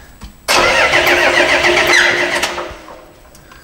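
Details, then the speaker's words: Isuzu 6BG1T diesel in an expedition truck, cranked on the starter with the fuel shutoff disconnected so it can't start: uneven cranking as if one cylinder lacks compression, plus a thin squeak; owner suspected a cracked piston. "sounds it sounds to me like there's no compression one of the cylinders there's also a bit of a squeaking squeaking noise so I'm not sure what that is"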